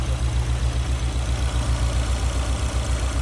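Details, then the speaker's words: Honda S2000 in for valve adjustment and exhaust rattle: uneven lumpy idle with low thump stumbling every few beats, a misfire; probably two tight valves, suspected not confirmed. "So it's essentially got a misfire. It's probably two tight valves."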